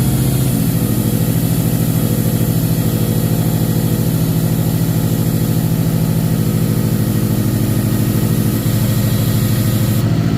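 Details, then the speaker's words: Subaru WRX STI 2.5L EJ25, started cold with oil pressure gauge fitted at alternator location: regular rapid knock riding the idle beat, steady with engine speed. Rod knock; idle oil pressure 55–60 psi versus spec 14 psi at 600 rpm. "um you can hear that knock on that engine"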